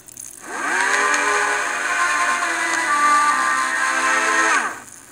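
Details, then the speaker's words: Audio Technica AT-LP120 turntable, USB-recorded vinyl amplified from about -33 dB: harsh, buzzy squeal sliding up and down in pitch; audio distorted without clipping; squeal stops when platter motor briefly disengaged, then returns. "Not only do we hear that weird squealing and squeaking sound, which I can't seem to"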